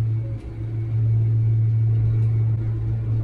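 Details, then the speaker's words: John Deere 6155R tractor on the road at the end of the day, steady low one-pitch drone; owner assumes noisy tyres, louder than the Michelins, not a driveline fault, unconfirmed. "when you hear the tires they're quite noisy compared to these are trelly BS uh they're definitely noisy compared to the melin that's for sure I don't know I'm assuming it's the tires that's making the noise"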